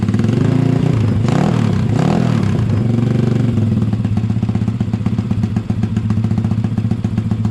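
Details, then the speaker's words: Honda ATC70 with Piranha 140cc engine swap, first start on fresh oil: small single thumps along at a fast, steady idle after a few revs, exhaust note even and not too loud; runs fine. "Just going to let it idle for a second or two. Exhaust sounds good. [Music] Not too loud either."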